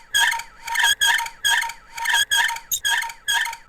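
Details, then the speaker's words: Kingroon 3D printer: sharp high-pitched squeaks about twice a second from a dry, rough threaded lead screw turning. Lubricant for the threaded rods is the remedy. "that sounded bad that's just the squeaker there we actually bought some lubricant on Amazon so we'll probably link that down below it's good for these threaded rods because they're a little a little rough sometimes they'll make like but most horrifying noise you'll ever hear"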